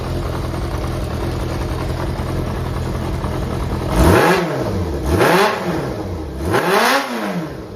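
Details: Running Yamaha XJR400 (4HM) four-cylinder engine assembly, removed from a working bike, compression tested, no abnormal noise or white smoke: even idle, then three clean throttle blips rising and falling smoothly, no knocks or rattles. Normal idle and revving.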